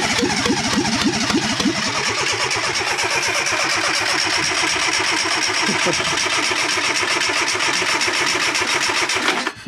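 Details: Fiat Panda 4x4 project converted from carburettor to injection: steady fast cranking for nearly ten seconds with no firing; owner concludes the injectors are not firing, so the engine gets no fuel.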